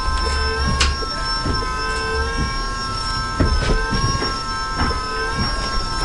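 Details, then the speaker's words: AWD Honda Accord CB7 with Volvo electric power steering pump, after fixing leaking hose: steady even high whine of constant pitch over running engine, no leaks; pump working normally. "that noise the winding sound is the pump still gonna get another hose connected over here to have extra fluid in the system"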